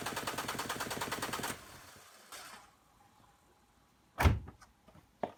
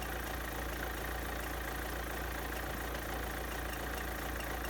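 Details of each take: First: Renault Clio 1.5 dCi 65 diesel after fuel filter replacement, primed with hand pump: catches and clatters briefly, then dies within two seconds from air still in the fuel system; more pumps needed before retrying. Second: Renault Clio 1.5 dCi diesel after fuel filter replacement and priming with hand pump: even, steady diesel clatter at idle with no misses or hunting; normal idle.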